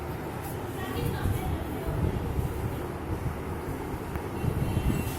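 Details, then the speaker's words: Videocon EcoWash Gracia 7.2kg semi-automatic washing machine: heavy, uneven low rumble like a passing train and shaking from a completely failed gearbox, to be replaced. "ये है Videocon semi automatic machine. इसमें problem है gearbox. इसका gearbox पूरी तरह से ख़राब हो चुका है।"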